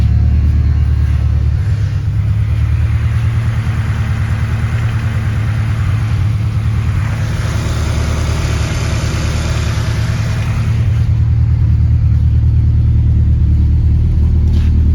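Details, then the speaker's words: 1996 Jeep Grand Cherokee ZJ four-cylinder, first start in a while after temporarily repairing a loose connector terminal with new injectors: steady, even low rumble at idle, no knocks or hunting; normal idle. "Wish the camera could get the audio better, because this thing's got a nice good little rumble for a 4-cylinder, but on the camera it just sounds like a little raspy rice bucket."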